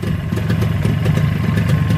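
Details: Freshly rebuilt Jawa/ČZ 360 two-stroke twin: a low, even two-stroke burble at idle, firing steadily with no knocks or misses; owner calls it beautiful and the carburetor very good. Normal idle.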